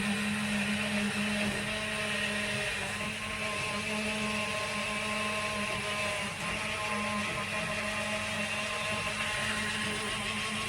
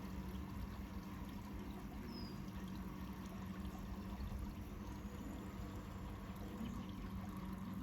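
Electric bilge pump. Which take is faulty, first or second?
second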